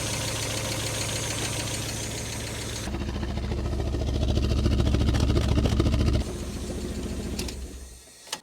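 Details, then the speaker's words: Fire-damaged Mk1 Mazda MX-5 after new spark plugs: uneven, lumpy idle with a regular stumble about three times a second; still misfiring on cylinders 1 and 4, later traced to a faulty ECU. "so still miss firing on cylinder 1 and four which is pretty much what I expected"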